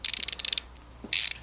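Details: Ratchet with a socket in tightening mode, possibly the 92-tooth one: two quick runs of sharp, even metallic clicks, about fifteen a second, with a short pause; normal healthy pawl clicking.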